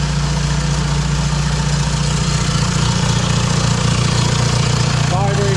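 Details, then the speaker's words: VW Mk1 Caddy pickup TDI diesel just started after larger injector nozzle swap without bleeding lines; steady even idle clatter, no misses or stumbling, running healthy, next checking for leaks. "it up so that shows you you don't have to bleed the lines work fine just check for leaks now"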